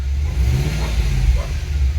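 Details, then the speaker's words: Holden Adventra AWD wagon with LS1 V8, revving: a deep rumble with a choppy, uneven, chunky beat. The owner suspects an exhaust leak or possibly a misfire; the cause is unconfirmed. "It almost sounds like it's got a miss. Maybe. It's quite chunky."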